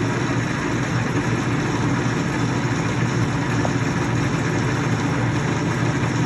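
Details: LeBlond Regal 13" x 30" engine lathe running through the low, mid and high ranges (45–654 RPM): steady, even hum from the headstock gears, a mesh rather than ticking, with no knocks or grinding; running smoothly and healthy.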